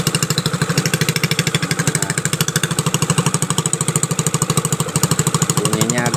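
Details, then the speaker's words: Piaggio Liberty four-stroke scooter that would not start, now running after ignition repair and oil added through the plug hole: fast, choppy, ragged exhaust pulses about three per second; rough sound traced to the exhaust breather. "Nah sekarang udah nyala ya nah ini bunyi kasar dari yis-nya ya Ini dari Ace lubang pernapasan yang dari dari knalpot ya"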